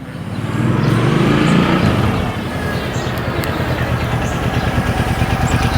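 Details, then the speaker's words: Suzuki Boulevard C50 800cc V-twin on first road test after rebuild and oil and filter change; swells riding past then settles into an even loping beat, no knocks or rattles; healthy. "Definitely smooth drive. So how was that? That was good."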